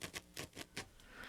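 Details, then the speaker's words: Pioneer SA-7500 amplifier powered on with no signal, recorded by a microphone held at the speakers. Irregular scratchy crackles and pops come in bursts as the volume is turned, from a dirty volume pot dirtiest at the low-volume end. "you can hear how staticky it is and of course i normally listen to it just at low volume so this bottom part is especially dirty"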